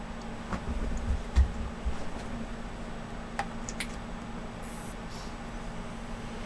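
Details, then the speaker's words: Failing Western Digital 160 GB desktop hard drive running with its cover off: low hum with irregular soft ticks; the head parks on the disc and may have been damaged when the cover was removed. "now the Western n 160 doesn't seem too happy now that I've taken it cover off"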